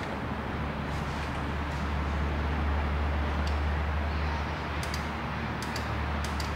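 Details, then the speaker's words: Honda VTEC diagnosis: faint sharp clicks over steady engine rumble as power is applied to the VTEC solenoid terminal, solenoid clicking normally. "okay I can hear it click let me pull you in closer I can show you what I'm doing here so as I touch that terminal you can hear that solenoid clicking"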